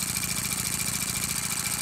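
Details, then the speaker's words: Repaired Stuart model steam engine running on compressed air and not bolted down: fast, crisp, perfectly even exhaust puffs with a light airy hiss. Normal running. "listen to that sounds beautiful doesn't it yeah i love these stewarts"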